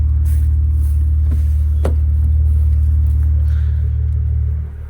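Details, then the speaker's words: Wrecked Maserati bought from Copart, idling with exhaust valves switched from open to closed: deep steady idle rumble that drops clearly quieter near the end as the valves shut; smooth even running. "It does get actually very quiet. Very cool."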